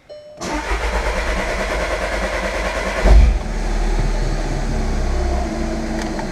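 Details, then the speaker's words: 2013 Jetta TDI right after replacing the auxiliary fuel pump (which whined when hot) and a fuel system flush: starter churns nearly three seconds before catching with a surge and settling to idle; slow to start. "there we go well that was less than ideal but i'm over it she's starting"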